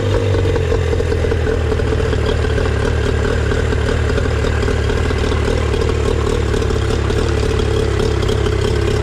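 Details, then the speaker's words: Outboard after clearing a clogged water outlet and a quarter turn left on the mixture screw; steady, even putter with mechanical clatter, no hunting or stumbling; normal idle. "There we go. That seems to run pretty good."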